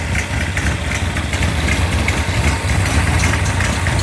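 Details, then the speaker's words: Mopar 360 V8 short block on test stand, aggressive 248°@.050 cam, 750cfm carb, near 180°F operating temperature, idling ~900 rpm, 5.5 psi fuel pressure: lumpy, loping cam chop, even firing, belt flops slightly, clean burning, no knocks; healthy idle. "The belt flops around a little bit, but it's very clean burning. No leaks of any kind. Quite a chop from the camshaft."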